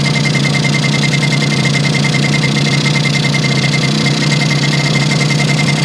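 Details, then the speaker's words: Yamaha YL2C 100 Trailmaster two-stroke after reassembly, rich on premix with some smoke: a steady, buzzy idle with a faint high whistle; giving the carb air screw another half turn for more air helped, and timing still needs setting. "Give another half turn on there. That helped. A little more air in the system."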